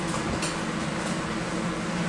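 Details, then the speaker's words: RoboLabs Robopop 75 Vortex hot-air popcorn machine near the end of a popping cycle: steady even rush of hot air with only a stray pop or two as popping finishes, before the airflow ramps up for the purge of unpopped kernels. "this is the next batch being popped and then i'll be quiet we'll listen for the purge sound so that's about the end of the cycle"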